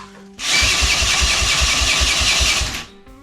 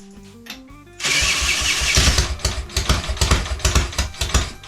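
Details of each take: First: Triumph Tigress scooter under restoration: the small engine cranks in quick, uneven chuffs for about two seconds and stops without catching; it is not firing yet. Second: Triumph Tigress scooter restoration, first start attempt with little fuel and no throttle cable: cranking gives way to a sudden catch, uneven popping for a few seconds, then fades; fires but won't keep running.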